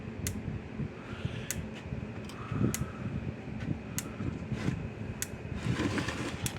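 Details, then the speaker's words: Power Wizard PW2000 electric fence energizer after repair: its 10µF capacitor read only 5µF and was replaced with 20µF (probably about 3–4 J instead of 2 J). Evenly spaced sharp clicks about every 1.2 s with the red light flashing, normal pulsing. "But let me plug it in here, turn it on, clicking again. The little red light's flashing."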